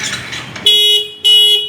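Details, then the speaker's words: Kawasaki Ninja 250 FI twin with WDA Orange touch-sensor anti-theft alarm: ignition on without touching sensor for five seconds triggers sharp high electronic bursts about every half second, engine immobilized until sensor touched. "Coba kita on lima detik alarm akan berbunyi nggak bisa nyala ya"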